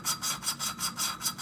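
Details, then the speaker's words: Honda ATC 200x cylinder head, hand-lapping a valve with light finger pressure on its back. An even gritty rasp at about five strokes a second turns finer as the compound grinds down and the valve seats properly. "you can hear it getting finer see like right about there i believe we got our ground down"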